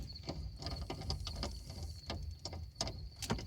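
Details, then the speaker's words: 1971 Ford F100 360 V8 with no power steering: irregular scraping clicks and gritty grinding from the steering column as the wheel is turned. Owner is fairly certain the column bearings have failed. Cause suspected, not confirmed. "bunch of grinding going on I'm pretty certain the two the bearings in the in the column have failed"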